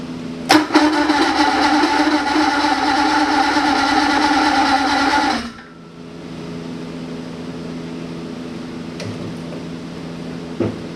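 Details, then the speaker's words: 1980 Ski-Doo Everest 500 fan-cooled two-stroke snowmobile, bought trashed, fed mixed gas from a spray bottle; fires and runs with a rapid buzzy beat about five seconds then dies. Runs normally. "ah well she runs i'm going to try and bottle feeder here for a while if i can get the timing right"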